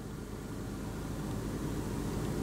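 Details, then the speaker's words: Hyundai idling after a part replacement: quiet, low, steady idle hum with no whirring or starter noise; the noise has not returned; normal idle. "so far this whole time we've been talking or I've been rambling whatever you want to call it my car hasn't made that noise"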